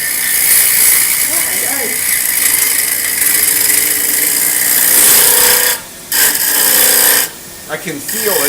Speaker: hear the vibration it's not round yet there's still points up at the corner so i know that i haven't quite got it totally round when i can hear that noise